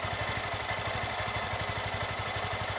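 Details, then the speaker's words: Honda Fan 160cc motorcycle at idle, recorded on a phone: an even single-cylinder thump about three beats a second with only light valve tick. A quiet, normal engine. "Eu não bati mano não fala essas coisas absurda entendeu é bem calado o meu ponto de vista numa experiência"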